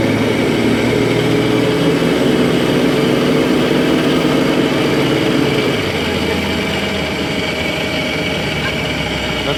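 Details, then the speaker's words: Off-road vehicle on a test drive in four-wheel drive after repairs: steady engine drone with constant straight-cut gear whine on top, normal for straight-cut gears; a big hole still to be filled should make it quieter. "These are straight cut gears like okay they're not they're not this is not going to sound quiet anymore"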